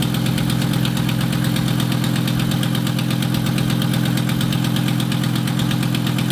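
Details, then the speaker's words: 1996 Volvo 850 2.5L 20V estate at first start after a head gasket replacement; rapid ticking at about four per second over a rough idle, mostly from a leaking exhaust manifold, though the lifters still need oil. "what well at this point we were pretty sure most of the noise was caused by a leaking exhaust manifa and but the lifter still needed to get some more oil"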